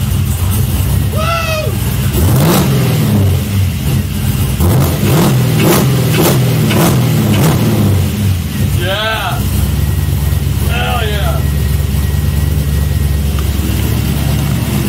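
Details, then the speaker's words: LS V8-swapped Miata after cleaning and spray-testing fuel injectors to fix misfire (two injectors found faulty): clean, strong rev rises and falls with smooth pull-through, no stumbling or popping; sounds like a beast now, normal revving. "sounds like a beast now"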